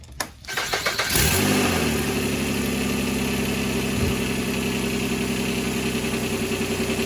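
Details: 2003 Nissan Altima 3.5 after replacing the alternator and retensioning the belt: starter cranks briefly, engine catches cleanly and settles into a smooth steady idle with an even low hum; runs healthy.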